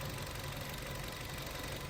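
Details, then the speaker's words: BS-6 petrol car after throttle body cleaning and calibration without a scanner, not yet at working temperature (under 10 minutes running). An even, steady idle with accurate rpm, no fluctuation and no misses. A normal idle. "इसका बिल्कुल accurate RPM है कोई fluctuation नहीं है कोई कुछ नहीं है"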